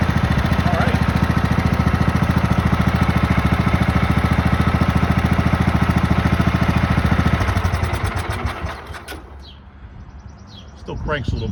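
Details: Craftsman manual-drive lawn tractor with 15.5 overhead-valve engine, shed-stored about 3–4 years, fresh gasoline and charged battery: steady, even thumping at constant speed for about eight seconds, then winds down and stops; runs smoothly, healthy.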